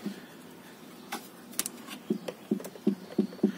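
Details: Fiat Palio / Palio Weekend / Strada suspension tested on the ground: dull low knocks in a short run, about one every third of a second as the body rocks; missing anti-roll bar bushing.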